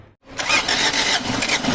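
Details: Diesel with a hard-starting problem, after glow plug replacement and testing; a brief crank, then it catches at once and settles into a steady clattering idle. Clean, normal start.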